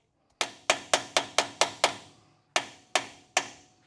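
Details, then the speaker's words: 1966 Chevrolet C10, GM 12-bolt rear axle, new Koyo bearing race driven in with a race driver: ten sharp hammer blows, the last ones ringing longer and crisper; the tone change shows the race is fully seated. "Sent home. You hear the tone change there, then you know it's all the way home."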